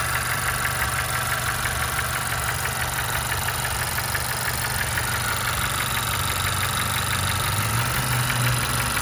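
Steady idle with a regular knock of about three per second riding over the engine note; the cause isn't clear from the sound.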